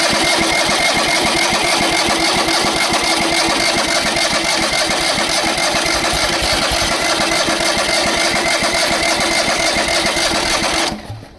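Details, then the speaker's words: Long-parked trailer-mounted crane engine with a carburetor: steady starter cranking at about three and a half turns a second, never catches, then stops. No fuel reaches the carburetor while cranking; it runs if gas is dribbled into the carb. "Still don't see any Still won't see any fuel down in there as I crank."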